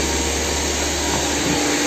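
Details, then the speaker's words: VW Passat B3 with single-point (mono) injection that won't hold idle, starts poorly and then fails to start, with revs floating. A loud, steady hiss of air sucked past the gasket under the injection unit; fix is to replace the gasket. "меняйте слабый все воздух подсасывает отсюда таранить небольшой расход из остальное вот обороты плавают и она вернулась"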